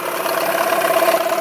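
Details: 1991 Yamaha 15hp two-stroke outboard after new water pump impeller, new plugs and new prop; telltale hose blockage blown out with air so water now streams; even, buzzy idle with steady mid-pitched note, no stumbling or knocking; idling cleanly.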